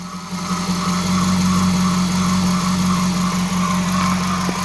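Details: Dodge Charger R/T 5.7 Hemi V8 after replacing shredded serpentine belt and bad tensioner pulley: steady idle with a faint wavering whine from the belt side; belt sounds funny, owner suspects new belt too tight.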